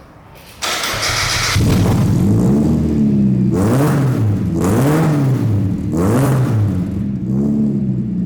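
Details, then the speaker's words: $200 Miata-based kart, exhaust with only a resonator tucked high above the frame rail and no muffler: cranks, catches, loud raspy revs with deep boom; sounds better but still loud, muffler to be added. "so I fired it up it sounds better but it's still loud so I'm gonna try and put a muffler on it quiet it down a little bit more"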